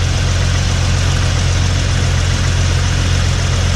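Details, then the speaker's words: Jeep TJ idling after Walker catalytic converter replacement, checking for exhaust leaks: smooth, steady idle with an even low drone and no ticking or puffing; no leak felt at the front, possible minor leak at the rear. "This one feels like it's kind of smooth. Yep, okay, so it feels all right."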